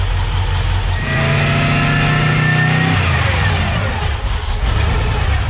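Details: Twin Eaton 90 supercharged Sunbird (10 lb boost, needs more fuel), base timing reduced to about 5 degrees (about 20 total): blips up with rising supercharger whine, drops back to fairly even idle without stumbling or dying; running normally.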